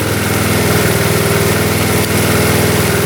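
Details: 1972 Honda CT70 single-cylinder, all-original auction bike being revived after a bogging issue, idling in neutral after rewiring; steady, even putter with no misses, knocks or stumbles; clean normal idle.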